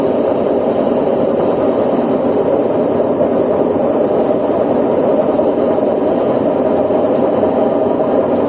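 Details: Candy washing machine, spin cycle: loud, steady, even roar with a thin high whistle on top, from worn drum bearings.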